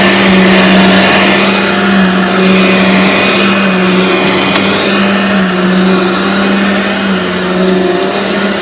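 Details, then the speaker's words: Aeros upright vacuum cleaner model U162C, old unit after a carpet cleaning test, owner says it needs an overhaul and cleaning: steady even motor drone, constant mid hum, no wobble or rattle; running normally. "well it does run it definitely needs a good overhaul and cleaning which i can do"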